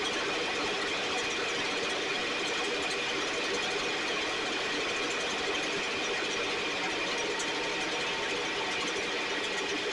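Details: STIHL 6R 450 two-stroke backpack blower after cleaning and repair (idle had fluctuated and could not be adjusted): steady, even high-pitched buzz with no surging or stalling, running much better though still loading up slightly, with carbon buildup suspected.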